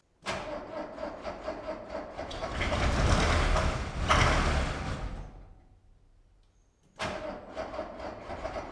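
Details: Mercedes W110 with OM621 diesel on a flat battery: slow, labouring crank until it catches and roars, dies away, then fires again; the owner thinks the alternator drained the battery.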